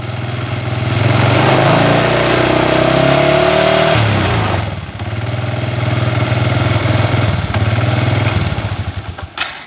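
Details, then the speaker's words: Chinese 125cc iron-cylinder kick-start motorcycle engine with a fixed-timing 5-wire AC CDI, timing mark shows ignition far over-advanced; hard to start, then revs climb, hang and hunt unevenly without settling to idle, erratic running from over-advanced ignition timing. "como pueden ver no modera si la dejo modar no va a moderar y tiene una falla bastante o sea tiene un andar bastante errático"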